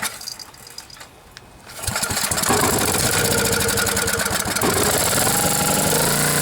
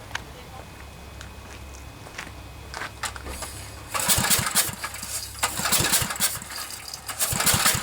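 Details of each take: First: Generac generator, 10 hp Briggs & Stratton, after blown head gasket replacement (head bolts 165 in-lb), cleaned carb and new plug, choke held open. A few quiet pulls, then it catches and runs steady and even. Healthy start. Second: Generac generator with 10 hp Briggs & Stratton engine, cranking with a new spark plug, fuel and spark confirmed: uneven turns with breathy puffs of escaping air and no firing; low compression from a suspected blown head gasket.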